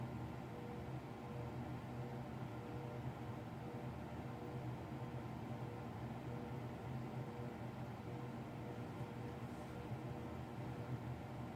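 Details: Apartment bathroom exhaust fan at 2:39am, wall sensor switch already replaced, fan keeps kicking back on with no one touching switches: steady low hum with faint constant tone, no change; fan running continuously, fault not corrected.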